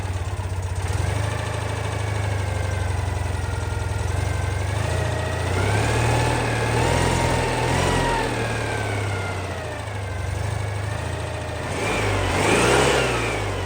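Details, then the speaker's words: 1988 Citroen 2CV flat-twin, stone cold, just fitted with 123 electronic ignition replacing points and condenser: catches within a second and settles into an even idle with a few clean blips. Starts quicker and idles smoother than before. "Yeah, sounds good. The engine is stone cold, so let's take this for a proper run when it gets light tomorrow morning."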